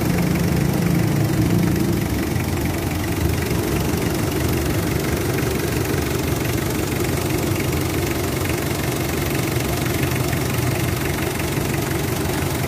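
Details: Mitsubishi Adventure diesel with throttle delay, vibration and low power: loud deep idle with uneven lumpy pulse about three beats a second and heavy vibration; rough idle, cause not confirmed.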